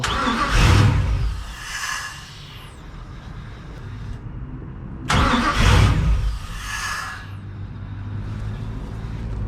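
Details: Crusader boat engine after rebuilt and tested injectors and cleaned rails, with air in the fuel at startup; a couple of loud bursts, then a steady, even low hum with no misses, a healthy idle.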